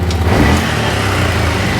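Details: 2012 Bennche Spire 800 UTV after priming the fuel pump: sounds better, but on throttle the revs swell briefly then sag into a flat, stumbling drone. Throttle hesitation; ECU reset planned, cause not confirmed.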